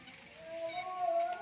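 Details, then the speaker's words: Honda Vario 150 scooter, hot engine at idle/low rpm: thin steady squeal, much louder when hot, from friction between the ceramic and mechanical seal of the original, never-opened water pump; bearing also worn from overdue, black oil; water pump mechanical seal squeal. "bunyinya itu dari sini ya ini kalau posisi panas dia itu jauh lebih keras nah itu diakibatkan bunyi didapatkan dari Nah dari gesekan antara keramik yang ada di bagian kipas ini sama di bagian ee apa Seal mekanikalnya ya"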